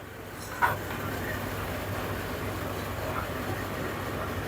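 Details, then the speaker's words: Samsung 2023 heat pump dryer after full service for thumping noise, blower checked not touching cover: quiet, even hum with no thumping or rubbing, one light click early on; running normally. "now you can see dear friends it is working fine without any problem not making any abnormal noise also everything perfect also not making any abnormal noise very silence"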